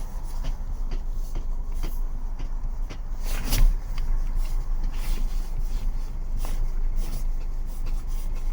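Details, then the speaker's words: 2024 Jaecoo J7 Supreme AWD front end, steering rack diagnosed as knocking; mudflap rubbing already fixed: irregular dull knocks and clicks over low background rumble, varying with wheel position and possibly temperature; steering knock, cause not confirmed. "брызговик теперь не задевает но звук всё равно вот вот есть звук"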